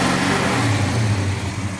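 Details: 1970 Dodge Challenger with a tired 318 V8, first start after correcting ignition timing that was actually 60° (meant 30° max) and remarking the balancer: deep, even rumble that climbs smoothly with throttle and settles, with no misses or knocks.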